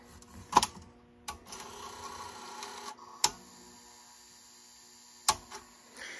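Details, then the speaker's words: Working Sony Betamovie camcorder, opened up, loading an inserted tape: a few sharp mechanism clicks, a short soft whir as the drum spins up, another clunk, then quiet. This is a healthy tape load sequence. "so this is what a working beta movie should do when a tape is inserted this is only when a tape is inserted if there's no tape it won't do anything"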